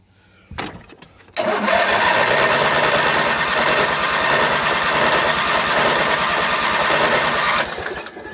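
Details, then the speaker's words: Sears SS 14 lawn tractor: starter cranks steadily about four turns a second for six seconds on choke and full throttle, never catches despite fuel on; owner suspects lost spark, was running fine before. "ver chuck won't do it throttle won't do it i wonder if it lost spark i hope not it was running just fine"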